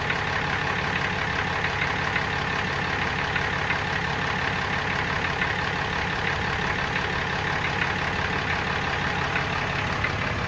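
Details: Brand-new 2018 Ram with 6.7 Cummins diesel at idle: steady clatter with a light metallic rattle on top, cause unknown.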